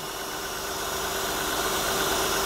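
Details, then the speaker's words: 2003 Honda Pilot 3.5L V6 at about 210,000 miles, with a known transmission problem: a steady, even idle with a light hiss on top and no knocks, ticks or misses; it sounds smooth and quiet, suggesting regular service. "sounds smooth and quiet i think for a time this got regular service"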